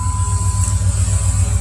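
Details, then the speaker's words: 2001 Jeep Grand Cherokee Limited V8, about 237,000 miles, nearly 20 years old, just started: deep even rumble with steady pulse, no knocks or rattles, no smoke; engine idles smoothly and healthy. "Doesn't smoke. The motor doesn't rattle or anything. Sounds like a Dodge."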